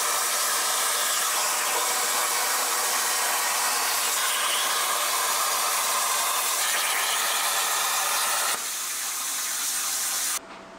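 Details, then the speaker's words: Cut50L plasma cutter on a CNC plasma table, cutting 1/8 in mild steel: steady loud arc hiss for about ten seconds, then cleanly dropping away; low-frequency start with no electrical interference and the small air compressor didn't kick on; normal cutting. "no electrical interference on startup so definitely low frequency start"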